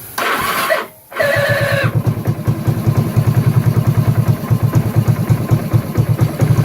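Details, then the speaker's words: 1984 Kawasaki Prairie KLT250 barn find, old fuel drained and fresh fuel added, jump pack at 12.6 V, no air filter: engine fires and idles unevenly with regular low pops, lean and popping back through the carburetor. "hey what does a sound damn good that popping back through far you're running lean no air filter"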